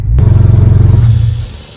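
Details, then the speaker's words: Jeep Cherokee XJ after installing muffler and tailpipes following exhaust issues: deep even rumble with steady fast pulse, swells on rev then settles; exhaust sounds sealed, improvement over no exhaust. "definitely an improvement over the no exhaust overall this is a win"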